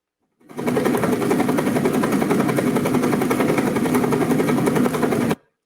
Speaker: I want you to hear the difference in sound caused by flow-induced vibration on two foils with exactly the same geometry, exactly the same materials, tested in the same tunnel with the same condition.